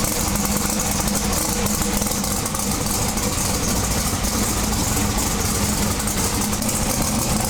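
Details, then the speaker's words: Twin-turbo big-block V8 pro mod drag car on methanol, after swapping injector sets. A loud, lumpy, stumbling idle, acting rich, with one cylinder dead. Misfire from injectors plugged by methanol left in them for 2 years. "yeah one of them's not running at all so after all this work and you know unfortunately we have a bunch of injectors that are plugged plugged up from sitting with methanol in them for 2 years so they're not terribly happy"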